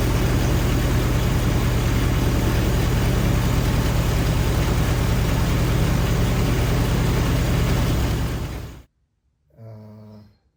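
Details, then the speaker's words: 1946 Willys CJ2a after 40+ years sitting, with a rebuilt carburetor: it runs with an uneven, lumpy beat for about eight seconds, then fades and stalls. The carburetor won't idle; timing is suspected; the engine won't hold idle. "Next, I wanted to get the timing a little bit better, but we just couldn't get that carburetor to idle."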